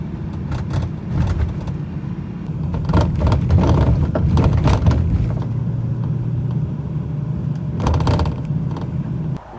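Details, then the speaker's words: BMW E93 convertible driving over bumps: dry plastic rattle from the roof's front left corner above the windshield; fix needs a 13 mm deep socket. "So, every time I've been driving over bumps, the left side of my roof kind of has this weird rattle."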